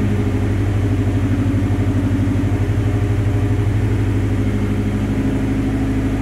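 Deep, uneven puffing pulses over the engine's low rumble, steady at about three per second, typical of a leaking exhaust behind a cracked cat.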